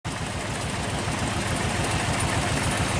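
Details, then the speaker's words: Toyota Corolla DX with a lumpy, loping idle, irregular low thumps about three a second and heavy shaking. Spark plugs and leads are listed as possible causes. "kalau kita dengar suara mesin ini, ada sesuatu yang salah, yakni terdengar suara pincang. Nah, suara pincang ini banyak sebab yang bisa terjadi."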